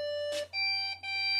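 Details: PC that powers on with no display and nothing on screen or keyboard: a steady high beep with only short breaks, continuous beep pointing to undetected memory; reseat the RAM.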